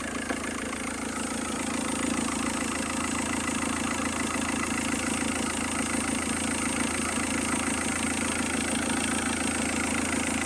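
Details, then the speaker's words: Engine at steady idle: constant fast internal chatter over the engine note, unchanged throughout, located inside the engine; source not pinned down, owner suspects a screw or sensor; abnormal engine noise at idle. "para para es aquí el ruido que hace es aquí dentro"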